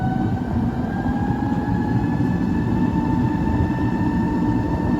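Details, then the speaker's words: Chas twin-motor Sinclair C5 electric trike on road over speed humps, second motor engaged and noticeably quicker: two clean whine tones climb slowly in pitch with speed over road rumble; healthy motors under acceleration. "Very nice. Now it's absolutely noticeably quicker when you run the second."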